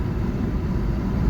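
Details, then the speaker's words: Peugeot 307 on road test after reassembly for inspection, accelerating through fourth into fifth gear: steady low engine and road rumble, no clunk, crunch or whine; all gears engage cleanly, good pickup; engine warning light still to check. "Toutes les vitesses passent. C'est déjà pas mal. Non bah écoutez, il a une bonne reprise."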